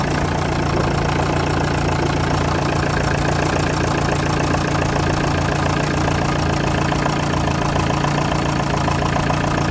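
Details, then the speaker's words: LTI TX4 2006 London taxi, 2.5 Chrysler diesel i4, cold start after sitting a few weeks: started on the button, steady, even diesel clatter at idle about three and a half beats a second, no misses or knocks; healthy. "Sat for a few weeks, but started on the button."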